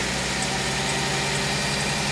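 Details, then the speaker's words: Mercedes-Benz C240 C-Class just after replacing the fuel injectors (fuel filter and pump replaced earlier), restarted with the fuel rail empty: steady idle with a faint uneven stumble as the rail refills; slightly rough idle. "crank it up there it is though [Music] sounds kind of weird because uh the fuel rail was empty"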